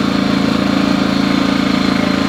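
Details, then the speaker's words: New EcoFlow Smart Generator 1800W gasoline, first run after adding oil, no load, showing an estimated 13-hour runtime: steady, even drone with a smooth fast pulse and no misses. Normal no-load running. "obviously that's with no load on it but it's saying it'll run for 13 hours and it shuts down"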